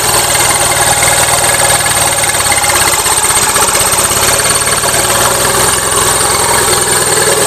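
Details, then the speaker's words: Gravely 450 with Onan CCKA twin, running a little rich: fast even knocking over the exhaust at steady speed; owner suspects compression escaping somewhere or pistons, now doubts cam bearings; cause unconfirmed. "to me it sounds like compression escaping somewhere trick is I don't know which son"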